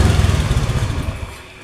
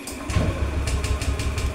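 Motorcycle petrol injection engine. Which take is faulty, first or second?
second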